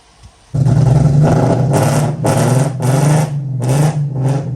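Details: Nissan 300ZX Z32 (1990-96): engine catches into a lumpy idle surging and sagging about twice a second; misfire.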